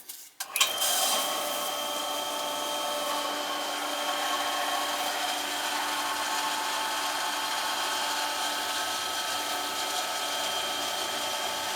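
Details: AC unit condensate pump that won't shut off: kicks on abruptly and holds a steady thin whine, never cycling off. Suspected slime.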